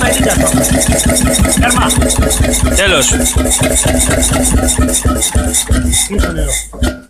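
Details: Freris-built Syros 1950-55 two-stroke 12 hp single-cylinder diesel, wick-started, restored 2014 after about 40 years idle: slow even thumping with no misses, then winding down at the end; healthy, steady-running.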